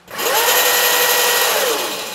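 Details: Mini Jeep EV swap with twin electric dirt bike motors, both running together, topped out at 77 km/h indicated: loud high whine spinning up fast and holding steady; motors smooth and healthy.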